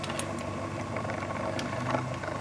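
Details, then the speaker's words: LFMG pulse motor generator on its first run in standard trim at very slow rpm, charging a battery: steady hum with a low, uneven rumble from a worn bearing. "hear a rumbly bearing in there"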